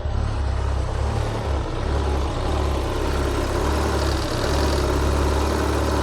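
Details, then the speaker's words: Citroen BX 16-valve after a repair that fixed a long-standing fault where it was over-injecting fuel: it starts into a smooth, even low idle with no misses; running much better, but fueling still needs re-adjusting. "She lives. That's running a lot better."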